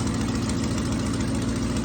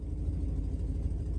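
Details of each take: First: 1966 Ford Thunderbird V8 after fuel pump, water pump, radiator, coolant and ignition work: a lumpy idle with quick puffing ticks in time with the firing pulses, from an exhaust leak. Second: 1966 Ford Thunderbird on the road after coolant system, water pump, fuel pump, radiator, alternator and ignition work, with a known exhaust leak; deep, even rumble at steady cruise over bumps with no knocks or rattles, sounds healthy.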